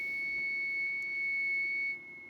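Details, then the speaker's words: BC455 (ARC-5 command receiver) under restoration, BFO warming up on a 7 MHz signal generator: high whistle near 2 kHz with wavering edge and hiss, then drops; oscillator unstable and noisy, owner suspects the CW oscillator. "Right, and what I've discovered, having got the oscillator working, is that it's very unstable and it's a bit noisy."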